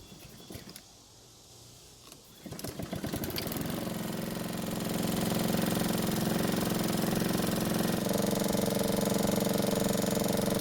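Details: Honda lawn mower engine run without oil: after a few pulls it catches and settles into a rough, steady knock about three times a second; marks on the flywheel suggest the ignition coil is hitting it, from a bent crankshaft.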